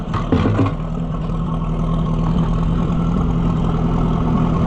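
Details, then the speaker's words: Oliver 550 loader tractor, long abandoned, just started: uneven, lumpy idle with stumbles, close to stalling; owner says it sounds better with the choke pulled out; rough idle, cause not confirmed. "Why are you sounding like that? Pull the choke out and it sounds better."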